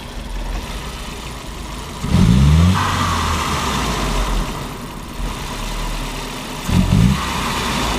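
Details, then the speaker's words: 1999 VW Passat 1.8T (AEB), MAF reading too high, fuel trim -29.5%, rich, no codes. Two throttle snaps over idle, each rising sluggishly in a long drawn-out bog instead of revving crisply: hesitation from a faulty MAF; car needs a new MAF sensor. "we go that was perfect you can see that long drawn-out this car needs a mass airflow sensor"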